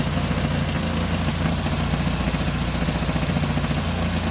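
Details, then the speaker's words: Renault Sandero 2012 petrol engine idling with a low, loose rattle of about four knocks a second, caused by the air filter box missing a screw and sitting loose; the rattle worsens when its latch is released. "Ah então não sei se vocês vão ouvir mas o barulho tá aqui ó isso aqui tá solto Olha isso aqui ó ó ó tá sem parafuso aqui ó tem parafuso ele deixa eu fico nesse barulho"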